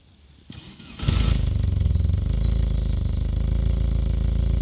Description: Одна из форсунок перестала нормально распылять, при этом недоливая 20% топлива по сравнению с остальными.